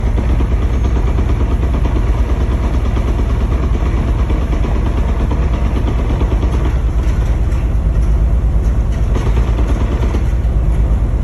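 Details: BMW S54 engine running with rod bearings confirmed okay: deep rumble with an irregular low knock about three times a second from the bellhousing/transmission area; owner suspects the DSSR hitting the guibo, transmission to be dropped for inspection.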